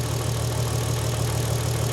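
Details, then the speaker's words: VW Golf R32, about 20 years old, first start after timing chain replacement on jump pack: low, smooth idle hum, steady beat, no ticking or rattle from the front; normal idle. "Tell you what, that sounds all right. It's like a little singer sewing machine."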